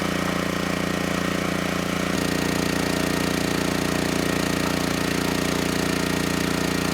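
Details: Generac GP6500E generator after repair of seized engine, warmed up, under load up to 6,000 W near max: steady governed drone deepening slightly as load comes on, holding speed without hunting or knocking; held 121 V, just below 59 Hz.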